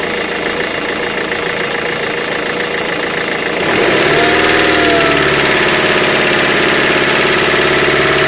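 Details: 2005 Mercedes-Benz Vito engine knocking at idle: a sharp, regular, steady knock at about 3.5 per second. The sump was opened and crank and bearings look like new, so the owner suspects an injector or a hydraulic lifter; unconfirmed.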